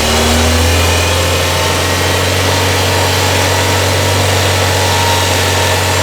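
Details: Steady idle with a thin, high singing whine coming and going on a 1994 Toyota Celica, non-computer-controlled charging system, with an intermittent battery light, blower on low and AC off; the alternator is whining.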